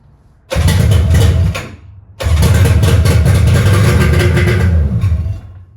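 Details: 1997 Polaris SLX 1050 jet ski on its first fire after an engine rebuild with new pistons, without the head cooling covers or silencer fitted. A loud, deep two-stroke buzz dies briefly, then restarts into a strong, even run; it sounds healthy.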